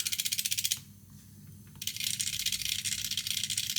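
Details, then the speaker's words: Air-conditioner expansion valve on a test PCB, shaft turning while the valve opens as the drive frequency is adjusted: fast light ticking nearly four per second, brief pause then steady; stepper turning freely, normal. "in questo momento sta aprendo. Vediamo se riesco contemporaneamente a far girare la valvola e regolare la frequenza."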